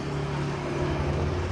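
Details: 2021 Yamaha NMAX 155 scooter with newly fitted smart key alarm, started with remote nearby: short burst of low, steady engine running evenly with no knocks or rattles; normal start.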